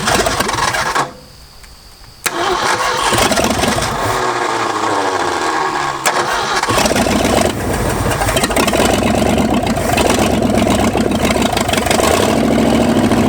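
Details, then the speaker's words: Ford F-250, first start in 26 years: uneven, lumpy running that sags and nearly dies off throttle, smoothing only when pumped or at high rpm; rough idle, suspected not firing on all cylinders. "and it just does not want to run unless I'm pumping that or way up in the rpm all right we'll get we'll figure that out and this thing's case it doesn't like the idle at all"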